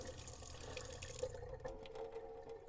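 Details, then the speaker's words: 1978 Boler 1700 trailer being dewinterized, fresh water pump running at the tap after sputtering air: smooth continuous rush of water, no spits; air purged from the line, water running clear and steady. "I can just about hear water starting to come out again so there we go now it's running pretty clear and pretty steady so we appear to have gotten the air out of the water"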